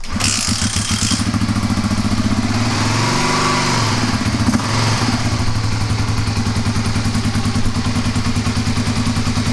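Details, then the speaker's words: Kawasaki KLR250 dual sport that rarely starts: runs with an uneven, lumpy beat of about two or three pops per second after a few sprays of fuel into the carburetor, alive only on extra fuel; lean no-start, vacuum leak or dirt in the carburetor suspected. "My best guess since it lit off so easily with just a little extra fuel is that you either have a vacuum leak which is causing too much air."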